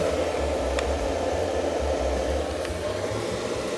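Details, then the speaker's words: RV camper converter/battery charger just replaced after troubleshooting; new unit plugged into distribution panel, meter reading 13.72 V; steady, even airy whoosh of its cooling fan with no rattle or ticking, running normally, fix confirmed. "Plugged in the back to the distribution panel. All connected. It's definitely working. So that fixed it."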